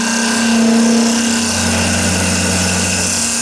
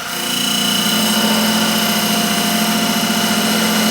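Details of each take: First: Hollowing the inside of an ash/maple segmented bowl on a wood lathe with an AR90 tool, work held on a glue hub and waste block: steady whirring cut with a rhythmic thump about four a second. Tool chatter from too low lathe speed; raising the speed cured it. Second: Wood lathe turning an ash/maple segmented bowl with epoxy resin, slowed to about 1750 rpm after chipping out at higher speed: constant motor hum under an even cutting hiss, no chatter; clean cut at correct speed.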